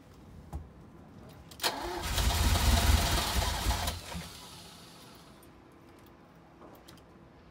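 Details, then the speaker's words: 1983 Ferrari 308 after fresh fuel pump replacement, battery audibly low: steady slow cranking about four beats a second that fades without firing; crank, no start. Owner unsure there's fuel in the tank, suspects a slight leak at one tank. "okay so we're no go with that one it's not firing up"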